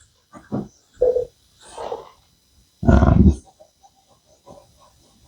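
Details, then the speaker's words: 1990 Mazda MX-5 Miata NA front brake service: wet squelching bursts as caliper slide pin is pushed home; too much grease causing hydraulic lock in the bore. Inner pad had worn a third thinner than outer, suggesting sliders weren't moving. "got too much grease in there. I got hydro locking going on."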